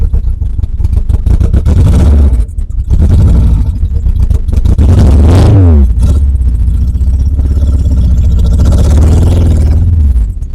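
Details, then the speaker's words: Renault Clio Mk1 1.8 16v, off road since 2017, old bad petrol, no exhaust system: loud four-cylinder revving with uneven stumbling beat and dropouts while creeping forward; missing, owner suspects stale fuel. "Like I say, the last time it was on the road was 2017. So the fuel's probably not great, and she is missing a little bit."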